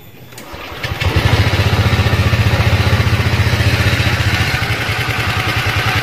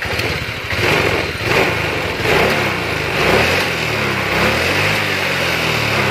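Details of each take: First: Honda Vario 125 ESP scooter idling: fast steady beat that sometimes won't drop, idle intermittently high by itself, sometimes normal, sometimes stalls; erratic high idle. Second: Honda Vario 125 ESP scooter after repair of a high idle that would not drop: blips up, then falls straight back to a steady, even low idle without hanging; owner says the high idle can come from the sensor.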